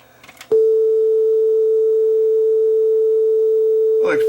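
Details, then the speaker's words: Sony TC-W32 dual cassette deck, after repair and belt replacement, B deck playing: one clean, steady test tone holds its pitch without wavering or warble for several seconds; tape speed stable and correct. "close the B deck is sounding good"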